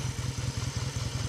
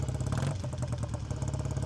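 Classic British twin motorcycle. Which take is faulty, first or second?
second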